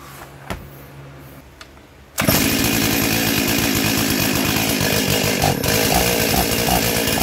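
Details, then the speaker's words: Stihl 036 junkyard chainsaw, first start after carb install and new NGK plug, no air filter fitted: catches and runs loud and rough, revs sagging instead of climbing cleanly, bogging down; cause not confirmed. "Well, that's a good sign. It's got no air filter on it right now and it's bogging down, but hey, we got fire."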